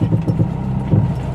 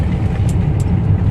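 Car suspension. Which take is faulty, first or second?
first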